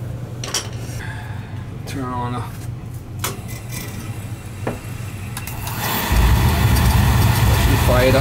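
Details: Oil burner after service (new nozzle and jet tube, good oil flow, recently upgraded tank). A few clicks, then a sudden steady, even roar as the flame lights and holds; the burner is firing cleanly.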